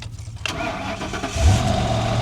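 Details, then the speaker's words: Ford Crown Victoria Police Interceptor V8, auction car started off a jump pack: brief starter crank, catches right away and settles into a smooth, even idle; no check engine light. "Start it up just like a champ."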